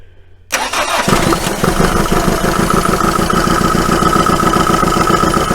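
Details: 1980 Dodge Colt Challenger (Mitsubishi Galant Lambda) long dormant: cranks, catches and runs fast and unevenly only on fuel poured into the carburettor bowl; oil pressure gauge shows none, gauge possibly faulty.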